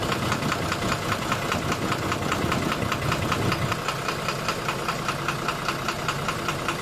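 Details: 12-M FE engine at steady idle with a sharp, regular knock about two and a half times a second; cause not pinned down by ear.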